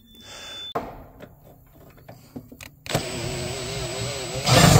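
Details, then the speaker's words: Yanmar ViO35 mini excavator after a shorted wire was found, starter tested via jumper to solenoid with key on: clicks, starter cranks, diesel catches and settles into steady running drone; normal start. "and the starter did work you can hear the starter it won't start unless you have the key turned on"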